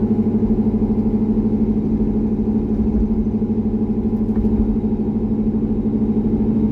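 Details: C6 Corvette V8 after an aggressive camshaft and long-tube header swap, on a revised HP Tuners idle tune, part throttle: smooth, regular pulse of about two beats a second, steady, no stumble or hunting. Normal running.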